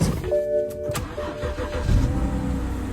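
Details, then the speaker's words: BMW 328xi N52 engine, about 98,000 miles, after fixing a cylinder 5 misfire by fully seating the ignition coil and its clip, codes cleared: cranks, catches, settles into smooth even idle; normal start, no codes. "solid no problems whatsoever got to love them when they're easy fixes"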